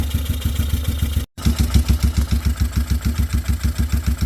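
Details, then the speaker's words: 2005 Yamaha Wolverine 350 single-cylinder at idle after valve lash adjustment, engine hot: steady, even thump with no ticking or clacking on top; valve train now quiet, clacking fixed. "Oh, look at that, nice and quiet finally. No more clacking."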